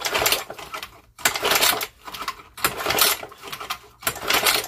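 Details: Old lawnmower engine, governor spring found stretched, being pull-started; three quick pull-cord strokes about a second apart, each a free whirring spin with no binding — engine turns over freely.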